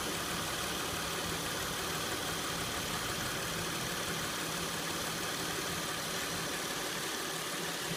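Steady idle with a busy, uneven rattle riding over the engine note; something is loose or rattling, cause not yet pinned down.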